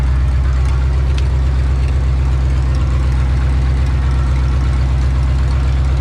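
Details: 1984 Ford F-150, old 302 V8 after new oil pump install, on ramps checking rear main seal leak: deep smooth steady low rumble, no ticking, knocking or hunting, normal idle.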